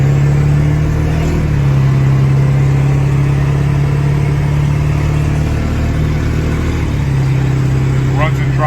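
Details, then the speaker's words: 2001 Ford E450 dual-rear-wheel cutaway, 7.3 Power Stroke diesel, cruising at about 50 mph: steady low droning hum. Owner believes it's tire noise; his mechanic said tires or possibly the rear diff, unconfirmed. "Like I said, you hear the noise. I believe that's a tire noise. Again, I'm not a mechanic."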